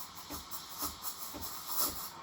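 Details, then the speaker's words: Breville Barista Express BES870 steam wand: steady airy hiss with soft rhythmic spluttering as the tip, held close to the milk, draws in air during the first 10 seconds; normal stretching phase. "keep the tip close to the milk for the first 10 seconds when you're hearing this hissing sound that means you're injecting air into the milk"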